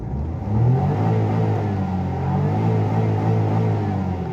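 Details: Suzuki 800-1000cc Japanese automatic after misfire and intermittent engine light repair, spark plug work: engine climbs cleanly and settles to a steady even rev with no stumble or miss.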